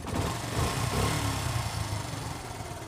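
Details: Motorcycle single-cylinder engine after timing chain noise fix; low, even idle fading out with no tapping or knocking from the top end; cam chain properly tensioned.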